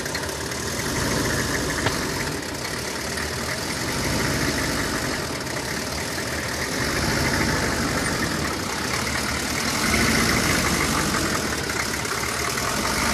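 Uneven, lumpy idle with an irregular stumble roughly three times a second over a steady engine drone; the cause is not evident.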